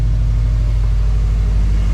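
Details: Subaru STI (EJ257) after replacing the worn OEM fuel pump, running on a couple of gallons of fuel; deep, steady idle rumble without stumbles, ticks or surging; engine running smoothly, no leaks seen.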